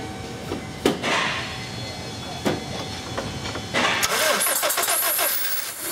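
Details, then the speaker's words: 2001 Honda Civic 1.7L, start-run-stall no-start: catches briefly then sputters, bogs and dies as if starving for fuel; cause is timing belt installed one tooth off, fix is resetting the timing belt. "so you heard in that start run stall issue that almost sounds like it's starving for fuel it's bogging out"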